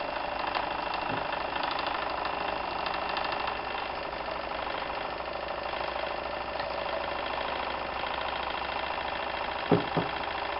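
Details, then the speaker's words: Märklin 4097 steam engine fitted with a new longer-stroke crank, now warmed up: soft, quiet chuff three to four times a second with no clatter or knocking; it runs smoothly and very quietly. "and now the engine has warmed up and you can hear that the machine is actually running very very quiet"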